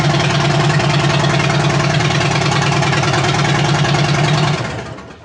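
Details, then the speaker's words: 2007 Harley-Davidson Dyna Street Bob after starter replacement (old starter lagged intermittently): starts with no starter rattle, deep even loping V-twin idle, then cuts off; normal start and idle. "hopefully it works and hopefully it sounds good you ready here we go oh yeah it sounds pretty good"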